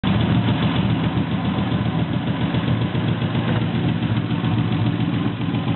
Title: SC300 misfire